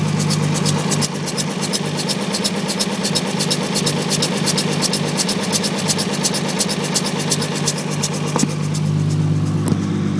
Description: Strange noise coming from my 2jz-gte's timing belt assembly. This video is taken with the drive belt removed so no accessories are running.